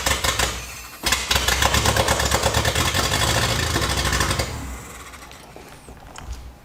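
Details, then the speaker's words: Datsun 620 truck engine, first start, open header with no exhaust, fed brake cleaner through intake: catches and runs briefly then fades and dies within seconds; fuel starvation, not getting fuel though tank has gas. "it runs hell yeah it runs asterisk um so our problem is it's not getting fuel"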